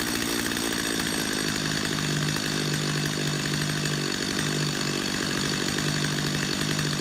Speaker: Go back to your idle screw, turn your idle screw back down until that chain just stops moving.